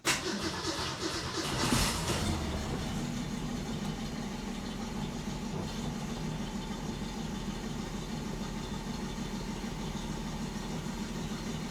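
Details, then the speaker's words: 1967 Ford Mustang with Holley Sniper 1100 EFI after professional tune, previously shaky since timing chain replacement: catches quickly and settles into smooth, even idle with no shake or misfire; alternator now charging about 14. "Okay. That was much better. She's certainly not shaking like she was yesterday when we cranked her up."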